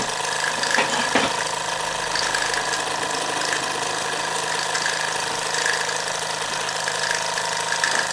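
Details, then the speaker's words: Mamod SR1 steam roller, about 1963–66, after boiler cleaning, slight leak at the whistle tap: light, quick, even chuffing with steady hiss, no knocks or hesitation; very smooth normal running. "Really smooth performer."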